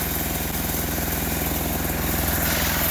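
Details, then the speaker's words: Sears Suburban tractor 6 hp diesel just started in blizzard cold, starter still frosted, smoking: steady chugging idle with even knocks about three a second, no misses or surging; normal cold idle while warming up. "there we go now she's hot and that smoke out of their usual smoke in there that's for sure okay I'll let that warm up for a bit"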